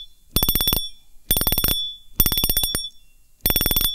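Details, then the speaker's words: Fishing reel clicker giving bursts of quick, crisp, loud ratcheting clicks as the spool turns; clicker working properly, the sound sought when repairing a broken clicker. "เสียงดังไพเราะอย่างนี้เลยครับเดี๋ยวเรามาซ่อมในคลิปนี้นะครับ"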